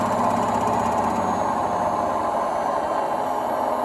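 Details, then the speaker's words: Indesit WIDXL126S washer-dryer drum motor run on a variac after sticking worn brushes: even, smooth whirring hum with no scraping or ticking as it spins freely; motor works fine. "hopefully if i bring the power up it's turning fine it must have been just sticky brushes somehow"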